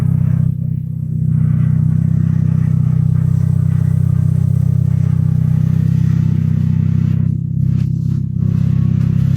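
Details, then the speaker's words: Third-generation Honda Accord (1986–1989) abandoned for years, after engine revival and fresh oil: deep steady even rumble with no knocks, misses or squeals; normal running. "Oh yeah, it's done. Let's start. Wow, it's especially smooth. The car is particularly stable."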